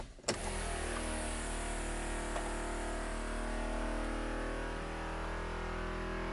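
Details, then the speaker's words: Think City EV no-start, key on: loud, steady vacuum pump hum with no drive motor, flashing power limit warning pointing to a high-voltage system fault; cause later found to be a blown fuse. "the vacuum pump is very loud but the car does not start and you can see here in the lower hand corner there is a flashing light stating power limit so something is wrong with the high voltage system"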